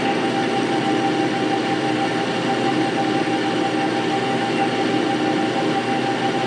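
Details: Metal lathe bought non-running and disassembled, running after cleaning, painting, reassembly and rewiring: steady hum with constant high gear note, no knocks or rough patches; runs smoothly.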